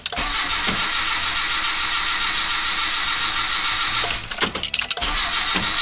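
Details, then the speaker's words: Slavuta 1.2 carbureted car on 2nd-generation LPG, cold engine in garage at sub-zero temperature (about -11°C outside), starting on gas: starter spins with steady churning whir and a few uneven puffs but engine never catches; battery draining. "Как видим ничего у нас не получается то есть аккумулятор дальше я мучать не буду иначе он у меня просто помрёт"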